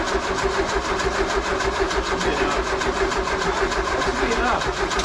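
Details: VW with freshly built 1641 engine, first start attempt after rebuild in neutral: steady rhythmic cranking churn for about five seconds that never catches or fires, then the starter stops; cranks but won't start, cause not confirmed.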